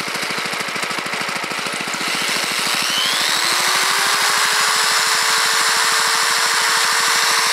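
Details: Home-built induction motor generator driven by an engine, with about 100 W load plus a roughly 2.5 A drill plugged in: rapid steady engine firing with whining tone rising slowly and levelling off; engine bogging under load.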